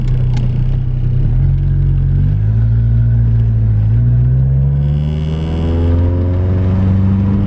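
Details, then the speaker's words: Nissan 240SX driving rough road after tightening loose front passenger coilover lock collar that caused preload loss and clunking over bumps: steady engine and road rumble with gear changes, no thumps; normal suspension after fix. "all right so i arrived to my destination and as you guys can tell this road is terrible but i'm not hearing a really loud thump on my passenger side so that's good"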